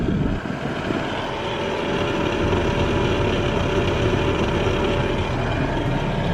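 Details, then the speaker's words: BMW E90 330xi petrol, 190 kW: steady rushing whir with buzzy rattle from the interior AC blower fan under the glovebox, present even on minimum and rising with fan speed; fan then replaced. "okay the second part i wanted to show you is the rattling noise if i turn on the ac that's the sound that we get and if we and that's even on minimum let's increase it"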